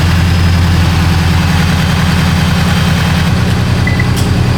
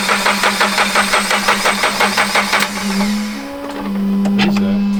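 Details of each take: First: Toyota GR86 first start after JDL turbo kit install, jump-started after battery problems, not yet tuned; steady low idle with even pulse and faint turbo whistle audible, sounds normal. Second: Toyota GR86 after JDL turbo kit install, first startup attempt; quick even cranking pulses then a ringing whine as it dies, never fires; battery problems, needed charging and a jump start from another car.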